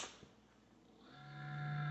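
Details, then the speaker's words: Crane one-gallon cool mist humidifier, about seven years old: after a quiet moment the fan spins up into a steady low hum that keeps growing louder, and no mist comes out. Dusty, dry fan bearing; fix is compressed-air cleaning and oil. "makes this sound and doesn't produce the mist that it should"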